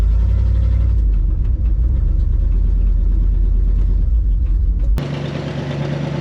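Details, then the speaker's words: 1974 Dodge W100 Power Wagon V8, parked 41 years since 1983, driving in third gear, possibly four-high, with a horrible exhaust and a poor carburetor. Heavy, lumpy, irregular rumble: rough running. Owner plans to check the firing order. "this thing's running like a sew machine a really broken it runs it drives not very well"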